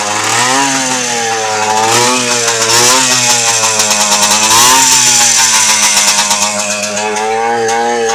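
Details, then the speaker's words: Barn-find Yamaha IT 250 two-stroke during restoration, carb and gas tank still need work; crisp ringing note blipping with throttle, picks up cleanly and holds revs, healthy sounding; normal running. "But I am extremely pleased. And I know my customer will be extremely pleased. That sounds healthy. That's a healthy sounding bike."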